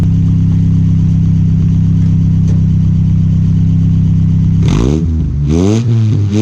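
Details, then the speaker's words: 1986 Nissan 720 pickup with new Doug Thorley tri-tube header, 2.25 inch pipe and Blue Streak long glasspack: deep, even exhaust rumble at idle, then clean revs rising and falling smoothly; louder than before, sounds healthy and sealed. "got a good deal on a glass pack so I'm gonna let y'all hear it you know I think it's quite a bit better than it used to be now you can actually tell when it's running"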